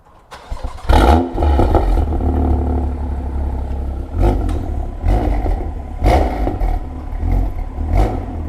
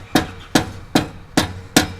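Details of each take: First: BMW M2 LCI with iPE exhaust on factory valve actuators, cold start after removing washers to fix actuator spring rattle: engine settles into deep steady cold idle with blips, no exhaust rattle; fixed. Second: BMW M2 LCI with iPE exhaust on factory valve actuators, cold-start rattle: five hammer taps on the exhaust valve, each leaving a brief metallic buzz from a loose flap; fix is removing spring washers to change tension.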